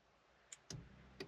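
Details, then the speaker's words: 1.2 petrol car, fuel pump activated through a scan tool test: a relay click, then a faint, low, steady pump hum under a second click; the fuel pump is working normally. "yeah fuel pump's working I can hear it but again I know the fuel pump's working"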